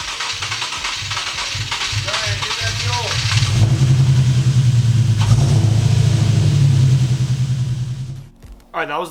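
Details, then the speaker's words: Infiniti G37/370Z 3.7L V6 first start after fuel injector replacement: hesitant crank, catches, runs unevenly then shuts off; owner suspects fuel rail had drained empty when removed. "last clip you just saw because I was last clipped I filmed um you saw that the startup was all really [ __ ] weird"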